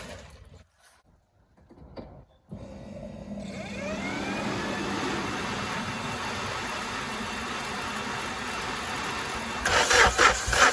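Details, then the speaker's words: K-swapped Honda Civic EF/CRX just after completing the swap; starter spins the engine with a steady whirring crank that never catches or fires; crank no start due to no spark at cylinder one. "I just changed the core plug to the extra one I had because I'm not getting no spark so I'm not getting any Spark to the first one"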